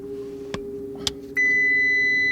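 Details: Audi R8 parked in driveway with check-engine light and front-left tyre pressure-loss warning, owner suspects tuning issues: soft clicks then a steady high electronic dash warning chime; cause not confirmed.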